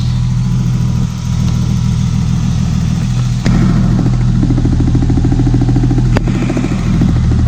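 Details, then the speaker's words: Engine at steady idle: light, fast tick near the injectors, none at the coils; owner suspects one particular part or the injector line, not confirmed. "du coup je pense que c'est cette pièce là ok le bruit n'est vraiment pas dit s'il vient vraiment de toute la ligne les injecteurs"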